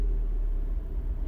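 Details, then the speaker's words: 2009 Mini Cooper S R56, 1.6 turbo petrol, code 2880, cranking and starting: the ECU demands 5–6 bar but rail pressure stays at 0.76 bar. A deep, lumpy, stumbling idle: misfire from low high-pressure fuel rail pressure. "look at my actual pressure you say 0.76 it doesn't change from there even though the car is asking for way more the car runs really really poorly"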